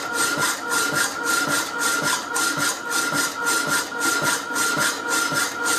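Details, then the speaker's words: Rapidor power hacksaw with newly working damper lifting blade on the backstroke, old blade previously used undamped: steady rasping about 107 strokes a minute over constant hum, even and regular; normal cutting. "working perfectly you can tell the noise it makes it's lifted on the back strp"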